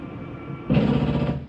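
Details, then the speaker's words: 2025 Jayco Jayfeather 19MRK travel trailer slide-out reaching full extension; quiet motor hum then sudden half-second loud grinding rumble, the mechanism signalling it is all the way out, cue to release button; normal end-of-travel stop noise. "the slide mechanism saying I'm all the way out. Let go of the button."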